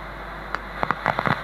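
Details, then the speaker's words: BIG 900BV amplifier, preamp components tapped: sharp crackles burst through the steady speaker hiss, louder with volume, from a microphonic preamp chip; suspected cause of blown transistors, needs replacing. "вот она и неисправность, микросхема. Вот это вот и есть сопля это, блин."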